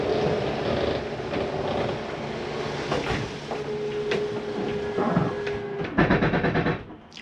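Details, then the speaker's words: Jayco Eagle HT 29.5BHDS living room slide retracting: motor hums and strains for a couple of seconds at full retraction as the mechanism stops further travel; normal and harmless. "you to hear that it's okay to hear that just for a second or two hold it um before you let go it's just a slide mechanism preventing itself from coming in any further it does no harm"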